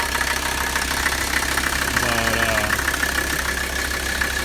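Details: 1985 Mercedes 300D turbo diesel, OM617 engine, vacuum pump out and oil leak suspected from turbo line: even diesel clatter at steady idle with a faint high whistle, no stumbles; sound idle.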